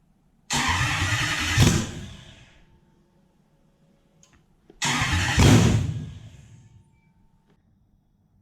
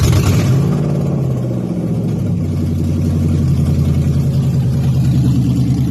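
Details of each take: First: Toyota 1UZ non-VVTi V8 with a manual gearbox, on a plug-and-play relay setup to the stock loom with a different airflow meter, fuel system just drained: two cranks each fire briefly and then stall while the fuel primes. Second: Toyota 1UZ-FE non-VVTi V8 in an Altezza, UCF20 loom with plug-and-play relay setup, manual: catches at once and settles into a steady, even low rumble with no misses, knocks or ticks; a healthy start and idle.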